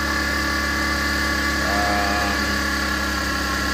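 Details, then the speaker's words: Engine idling with faint steady whirring hum from belt area; alternator belt tensioner bearing (6909) was dry, greased as temporary fix, noise reduced but still present; tensioner not broken, to be replaced later. "Medyo konti na lang yung ingay ng tensioner. So, pero kailangan talaga ito mga dol pag mabilhan na natin. Mag-replace tayo."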